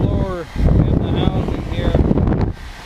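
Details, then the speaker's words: Country Coach RV heat exchanger blower, new replacement motor wired up but not yet installed: a steady, strong rush of air with a smooth, even motor hum and no rubbing or squeal. It blows far more air than before; the old motor was likely going bad. "you can hear it blowing I can feel it blowing it's really blowing the air out of there that feels like a lot more air than it's blown since we've had the coat"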